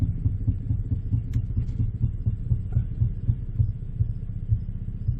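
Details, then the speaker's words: 2011 Ford Explorer after new powertrain, raised and run in gear: steady rhythmic low ticking following shaft speed over drivetrain hum; PTU first suspected, found a guard rubbing the driveshaft. "Pry bar that guard back away from this drive shaft. And maybe our tick, tick, tick will go away."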